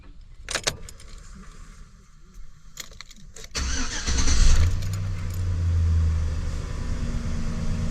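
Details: 2007 Chevy Silverado Classic 5.3L V8 after oil pressure sensor replacement, started to check for leaks: key rattle, then it catches and settles into a steady, even idle with no knocks or ticks. Normal start and idle.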